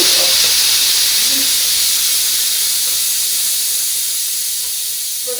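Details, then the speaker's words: Electric pressure cooker after 10-minute cook, valve pushed from off to open to de-steam; loud steady high-pitched hiss of hot steam that slowly tapers off; normal steam release. "Now this tends to be the bit where there's more chance of having an accident and getting burnt, because hot steam is going to now come out of that valve"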